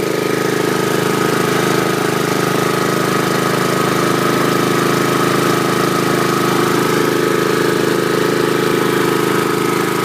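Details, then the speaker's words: 2011 Troy-Bilt 21" push mower with Honda GCV160 engine, after stale gas drained: even, steady single-cylinder putter, soft quiet muffler note, no misses or surging; runs smoothly. "That sounds smooth. I like it. So that was a success story on the Troy-Bilt Honda."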